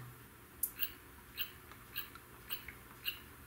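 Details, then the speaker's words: Neotec 2515C 25" arcade monitor chassis, "no picture" repair, original power supply chip replaced with a socket, powered up to set B+ (believed 117 V): sharp high chirps just under twice a second over faint hum, an unfamiliar noise; switch-mode supply fault. "so we got to figure out that's a noise that I've never quite honestly heard before"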